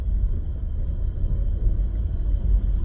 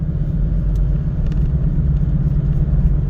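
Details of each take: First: 17-year-old car driving after new rear shocks and two new rear tires were installed: low, even road rumble, no knocking, clunking or droning from the rear; previous rear noise gone. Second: Cabin recording while driving: heavy low droning rumble with a wom-wom pulse, tire noise from rear tires cupped by bad shocks, before new rear shocks and tires were installed.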